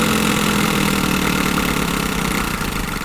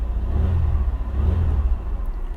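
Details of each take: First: 2001 Chevrolet Lumina, long-sitting car with a 10 V battery started on a jump pack: rough idle with a steady whirring drone over the engine, fading as it settles; the air injection (smog) pump sounds awful. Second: 2001 Chevy Lumina warming up to operating temperature, quarter tank of fuel: low, smooth, even idle rumble with no knocks, ticks or hunting; healthy normal idle.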